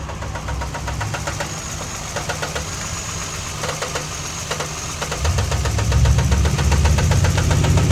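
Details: Steady knock about four per second over the idle, growing louder as revs rise; a deep bottom-end knock, rod knock suspected but not confirmed.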